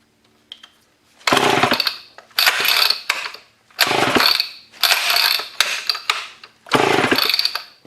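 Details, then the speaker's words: Old Homelite chainsaw that sat outside in a scrap pile for over a year, with low compression, carb spray in the cylinder: about six rasping recoil pulls, one a second, each dying off with no catch. Cranks but will not start. "come on just need a little bit more just enough to get it to pop that may be the only chance I get so hopefully it does something"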